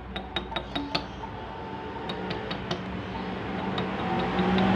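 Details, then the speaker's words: Honda Grand motorcycle engine disassembled after oil starvation: sharp metallic clinks as the connecting rod is pulled and tapped, showing excessive big-end play beyond normal gap. "Memang untuk kondisi normal pun itu harus ada gap, tapi nggak sebesar ini gapnya teman-teman ya, nggak sebesar ini. Nah ini, terus ini juga ada dentingan."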